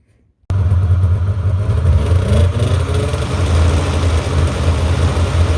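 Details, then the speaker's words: 1997 Polaris Indy 500 snowmobile, two-stroke, after suspension removal, tune-up and reinstall: engine holds a steady, low, even buzz with the track spinning freely to check tracking; healthy running. "all right so you saw there just let the track uh spin free a little bit there spun it around a few times and shut it off"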